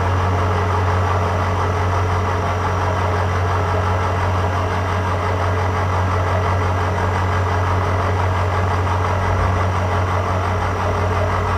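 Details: Cincinnati 205 milling machine, spindle showing 40 rpm, light first cut on power feed after fixing hesitating feeds: steady, even low hum with no knocks or surges; feed running smoothly.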